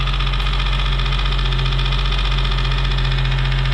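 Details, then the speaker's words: 2008 Nissan 350z 3.5L VQ35DE dropout engine running on test: steady, even low idle with a smooth beat and no knocks or ticks; it runs well, though a fan piece hitting the pulley is noted as not engine noise. "here's that vq though running well"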